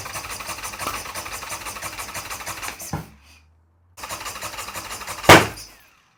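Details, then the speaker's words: Harley-Davidson Sportster build, first start attempt (third try), with constant spark now present: starter cranks in quick even pulses, one loud pop, engine never catches; crank no start. "all right guys well it's been a few days uh since the last clip and I couldn't get the bike to start"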